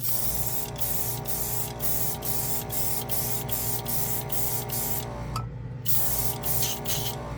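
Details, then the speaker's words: Gaahleri portable airbrush compressor after a few minutes' spraying, still not warm: a steady hum under an even spray hiss that stops and resumes without pulsing. It feeds air properly; normal operation. "anyway yeah she works uh I'm impressed it's not warm yet but I only you know use it for a few minutes"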